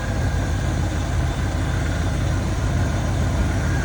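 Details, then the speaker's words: 1992 Ford F-150 with E4OD, cold start after new idle air control, throttle position and MAP sensors, PCV valve and breather, thermostat: deep, even, smooth idle, no misses or ticking, idling down cleanly; normal cold idle. "wow that is incredibly smooth that is running so well sounds good"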